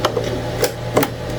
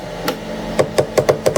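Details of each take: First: Anycubic ACE Pro filament unit, second slot with red filament, retracting: steady low motor hum with a few light clicks; gears mesh smoothly, normal, unlike the grinding first slot. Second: Anycubic ACE Pro filament unit, slot 1 with white filament, during retract after the Cobra 3 combo printer reaches temperature: bursts of rapid sharp clicks, three or four a second, grinding; cause unknown, while the red slot runs smooth.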